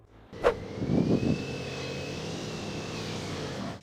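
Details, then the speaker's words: Land Rover Range Rover L322 4.4 TDV8 diesel pulling away under throttle: thin, high whistle climbs and holds, then fades off throttle and is fine at steady speed; whine on acceleration, owner wonders whether the turbos are failing. "Y no sé, es como que cuando ya vas a velocidad está más o menos bien porque no estás pisando el acelerador, pero es solo ese inicio"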